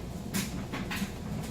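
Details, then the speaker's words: Fairly new Admiral electric dryer, like-new condition, on timed dry with towels and jeans: soft swishing bursts about every half second over a quiet low hum, even, no knocks; normal tumbling. "So this is a fairly new dryer. Works very well. And we have it on time dry."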